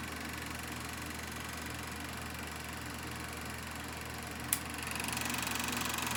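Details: Kodak Pageant AV-126-TR 16mm sound movie projector with the motor switched on and film running after focusing: even, rapid mechanical chatter over a steady motor hum, with no catching or slipping. Projector running normally.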